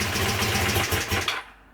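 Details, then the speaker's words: Honda CB250N twin, stone cold on choke, right carb idle circuit fixed via float bowl, pilot screw backed out 2.5 turns: even quick twin-cylinder putter idling steadily, both exhausts warm; idle now works on both cylinders. "running both exhaust are War okay"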